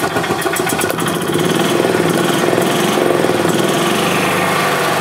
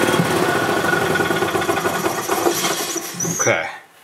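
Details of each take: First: 2007 Club Car Precedent gas golf cart, single-cylinder engine after fuel pump/gas-in-oil repair; rough, rising and sagging start-stop running as pedal pressed; governor out of adjustment, throttle opens before engine starts, prone to backfiring and jerky starts. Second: 2007 Club Car Precedent gas golf cart after new fuel pump and oil change for gas in oil; small single runs at a steady quick even beat, governor slightly out of adjustment: normal running.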